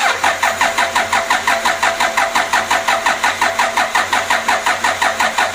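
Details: Toyota Innova 2KD diesel on its first start attempt after engine rebuild, coolant filled and fuel primed. Even starter chug, about three compressions a second for nearly six seconds, with no firing; cranks without starting.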